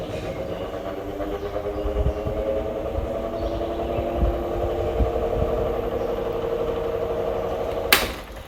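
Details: Hatari fan motor droning with a wavering, rattly hum and dull knocks; the shaft rocks and pushes back, the shaft bushing swings off-centre, gear wobbles or is broken: worn shaft bushing noise.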